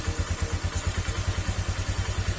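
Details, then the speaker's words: Honda Click 125 V3 scooter with replaced engine, low idle: heavy even knock about seven times a second at a stumbling idle near stalling; idle below spec (should be about 1,500 +200 rpm), cause unknown. "Okay aan medyo yung makina niya parang may lumalagutok mga sir"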